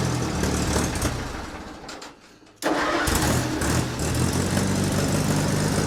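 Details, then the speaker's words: Allis-Chalmers C tractor, first cold start of the year, parked nose up: cranking dies away, then after a pause engine catches into lumpy idle once given a little choke, though it usually needs none; hard cold start. "She's also facing a little nose up. That probably isn't helping. All right, she wants a little choke. That's fine."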